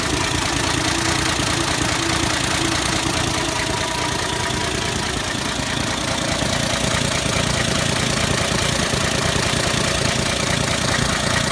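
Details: 1984 Ford 300 inline-six after Duraspark II conversion (junkyard '82 5.0 harness, new distributor, coil, plugs, timing 8° BTDC), idling at unknown rpm: sharp, somewhat irregular knock two to three a second, not missing; owner suspects spark knock or pre-ignition, unconfirmed.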